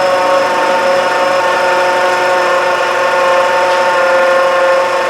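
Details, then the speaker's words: 2011 Honda CR-V, engine idling, listened with a long screwdriver; steady whirring hum with rough grainy edge, pitch changes as compressor cycles, tensioner also slightly noisy; AC compressor bearing noise. "That noise is absolutely coming from the AC compressor."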